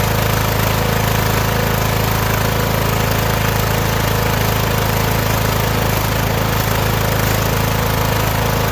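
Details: Started on choke: a steady, even engine beat of about four pulses a second with no misses or stumbles, running cleanly.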